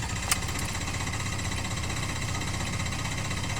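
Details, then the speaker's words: 2016 Ford F-350 with a recurring no-start, the 25th occurrence after about eight dealership visits: the starter cranks steadily with even compression pulses about three a second, but the engine never catches; cause undetermined. "it's a 16 Ford f-350 not wanting to start again pad this into the dealership about eight times this is about the 25th time this is happening"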